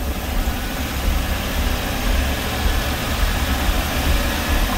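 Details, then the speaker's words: Chevy Express 3500 van, 6.0 LS V8, stored unstarted, bad transmission: deep, steady, even idle with low rumble and no knocks or ticks; whisper quiet, owner believes it lacks active fuel management. "okay anywhere it's just Dusty and it is whisper quiet I do not believe this has active fuel management"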